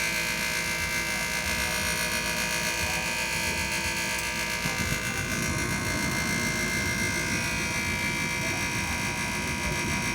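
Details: Furnace buzzes steadily on startup, then a rough scraping rattle joins in; typically only happens with the door closed, source unknown, house still heats.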